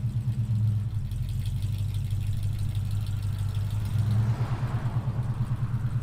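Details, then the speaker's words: 1968 Ford Mustang during a pre-purchase inspection, cold engine started without throttle: it catches at once and settles into an even, steady low rumble with no knocks or misses, not revved. Normal cold idle. "okay great startup it's pretty much fired on the click of the ignition I don't rev it up too much right now because the engine is cold"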